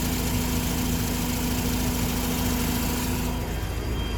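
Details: Mazda RX-8 rotary idling with a light, fairly quick ticking that increases a bit with revs; SSV and spark plugs ruled out, and the exhaust manifold is suspected but unconfirmed.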